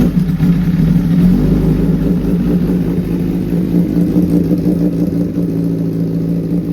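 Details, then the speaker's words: 2011 Honda CBR1000RR Fireblade (999cc inline-4 DOHC, liquid-cooled) with stutter, sluggishness and power loss; sludge-like dirt was found. Reassembled with the tank just refitted and coolant not yet filled: smooth, even idle with no misses, pops or hunting, timing good, much better than the first test. "Jauh banget ya sama kemarin pertama kali kita tes suaranya ya. Ini langsamnya juga stabil nih. Terus timingnya mantap."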